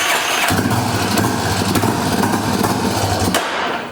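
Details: Yamaha Warrior 350 ATV single-cylinder, start after rebuilding bottom and top end: fires, revs hard and runs unevenly about three seconds, then fades and stalls; carburetor suspected of loading up, not confirmed.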